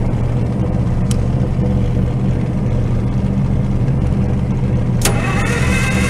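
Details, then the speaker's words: IH UD-16 diesel power unit on a 1945 Chevy truck, fuel at injectors confirmed: slow labored cranking with no start and no white smoke; owner suspects cranking too slow and dry cylinders and injectors. "I know I got fuel at the injectors but I had no white smoke or anything coming out of here cuz I think we're cranking over too slow plus everything is dry"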